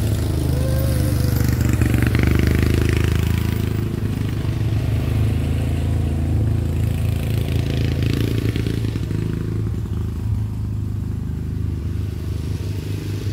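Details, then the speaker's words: 30-year-old Murray riding mower with a 13.5 hp Briggs & Stratton OHV single, after fixing the popping and backfiring: a steady, even drone under load while riding, with no backfires. There is a tiny backfire left at low idle, needing carburetor adjustment. "so and that my friends is how you do it no backfiring"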